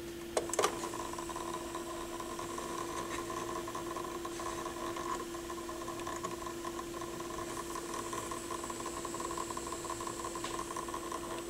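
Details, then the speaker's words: Pioneer PL-707 turntable during belt service: quiet, constant mid-pitched motor hum with a faint rattle whose source the owner cannot find; not from the applied grease, lithium grease tried next. "I don't know I don't know if I'm gonna get rid of that rattle or not I honestly don't know where it's coming from"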